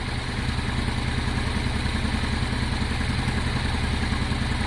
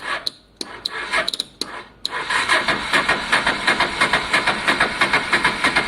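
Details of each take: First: Honda Deauville V-twin motorcycle after carb clean, fuel pump now working, warming up: even, low throbbing idle with steady beat, no knocks, misses or hunting, revs smoothly with plenty of power; normal idle. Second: Honda Deauville motorcycle, first start after carb clean, weak battery, fuel pump suspect: a few clicks then slow, heavy cranking about three beats a second without firing; owner suspects starter is jammy from sitting, oil change may help.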